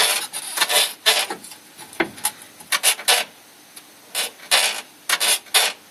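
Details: Renault Scenic 2 / Megane 2 (recently imported from Europe, about 130,000 km, suspension never serviced): irregular dry squeaks and rasping creaks in bursts as the body is rocked, engine off, worn subframe bushings squeaking.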